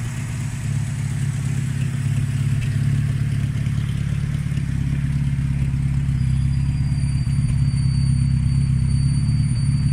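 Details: Vauxhall Chevette HSR replica, first start in years after sitting, ignition timing just set, no water pump belt fitted: steady, even low idle with no misses or knocks; normal idle.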